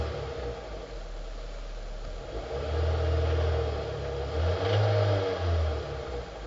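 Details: 2005 Hyundai Sonata, 2.4 L, 119 kW: deep, steady knocking about four times a second that grows heavier with revs. Diagnosed as worn crankshaft bearings, fixed with new bearings over about 14 hours of work.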